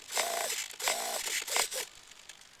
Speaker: there you hear that Servo spinning I think if I help it it'll work yeah there just got a dead spot in